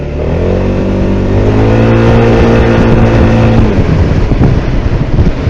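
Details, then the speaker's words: SYM Maxsym 400 scooter test ride over an uneven surface, checking a suspected knock in the rear final drive: engine pulls cleanly up through the revs with no metallic knocking; final drive normal. "да все друзья никакого стука нет все просто превосходно вот тут у нас неровный полигон специально для таких проверок"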